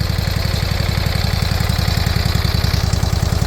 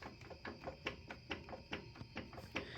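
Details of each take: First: Briggs & Stratton Intek V-twin swapped in for blown Kohler Courage, running without air filter: fast, even low intake thumping at steady idle, slight surging; normal open-intake sound. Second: Kohler Courage mower engine run out of oil: faint steady tapping a few times a second inside; internal knock, broken rod or piston suspected.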